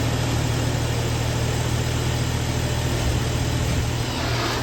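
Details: Early BMW N55 after replacing the failing N54-style high-pressure fuel pump with a rebuilt unit with E85 seals: smooth, even idle, steady low hum, no ticking, misfire or pump whine; rail and low-side pressures correct, oil-pressure reading bogus from a broken sensor.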